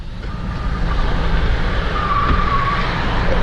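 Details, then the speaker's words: GMC Envoy with bad lower ball joints and lower control arms, alignment refused: steady road rumble with faint wavering squeal from the front tires while driving, vehicle wandering all over the road; worn front joints suspected. "listen [ __ ] tires like skidding in the front this thing is all over the road it's it's dangerous to drive"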